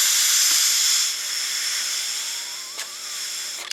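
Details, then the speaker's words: 1990 Fleetwood Southwind motorhome, 460 Ford gasoline, Holley 4-barrel carburetor: blowing into the fuel inlet with the float adjusted up, a steady air hiss keeps passing because the needle valve isn't seating; it is replaced from a rebuild kit. "yep yep that's what it is it's still here so that means that needle valve ain't working right it's not it's not seating"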